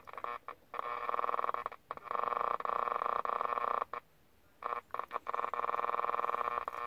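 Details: 1967 GE transistor clock radio (year uncertain). Reception chops in and out, with tones and buzz cutting dead then returning. The second half of the band is dead and the radio works when pressed down. Volume control needs cleaning; cause not confirmed.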